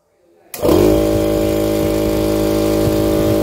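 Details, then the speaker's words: Husky 3.5 HP air compressor after repair of a motor that hummed but would not start: motor kicks on instantly and settles into a steady, even hum with no stalling or buzz; no strange sounds, running normally. "perfecto de nuevo listo no hay sonidos extraños todo está normal de nuevo"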